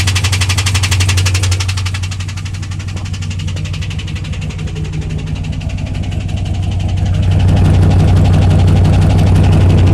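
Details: 2001 WS6 LS1 5.7L V8 idling after running out of oil (pressure fell from 30 to 0, then refilled): loud steady knock about three per second following engine speed; earlier ticked only at high rpm.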